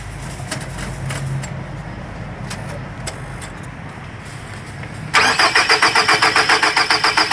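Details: 2003 Nissan X-Trail QR20DE, code P0335: starter whirs with steady regular rhythm, about four compression pulses a second, engine never fires; crank no start from missing crankshaft position sensor signal.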